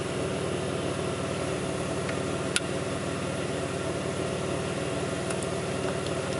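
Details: 2002 Pontiac Grand Prix 3800 V6 at idle, no check-engine light, alternator overheating; faint intermittent thumping pulls the idle down. Steady idle with an uneven, lumpy pulse and the odd thump underneath: rough idle, cause unconfirmed.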